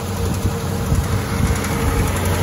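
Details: Willys L134 flathead just after a head gasket replacement, run outside expecting smoke from antifreeze in the system; steady low rumbling run with even firing, no knocks or misses; normal running, sounds healthy and settled.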